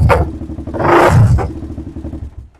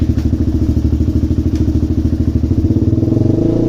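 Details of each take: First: DVX400 single-cylinder quad, carb needle moved lower for testing: throttle blips then drops to lumpy idle with sharp pops as revs fall; mid-range too lean, deceleration backfire from back pressure, needle must go the other way. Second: DVX400 quad single-cylinder after turning the fuel screw out to three and a quarter turns, revs climb and settle evenly with no pops or crackles on the exhaust; popping cured, fueling clean.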